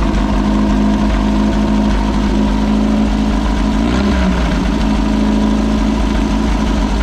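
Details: Possibly 1973 VW Baja Beetle, air-cooled flat-four, long-stored with no air cleaner, after choke adjustment and throttle cable lube: loud, steady low idle that dips briefly then settles even, clean throttle return; normal.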